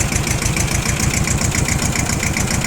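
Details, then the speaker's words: Iseki TS1610 rear-drive mini tractor, two-cylinder diesel, 1037 engine hours: steady, even chug at idle with a regular low pulse, no knocks or rattles; normal idle. "Я думаю, слышно, что двигатель работает как двухцилиндровый, но при этом максимально ровно и максимально хорошо, без лишних призвуков."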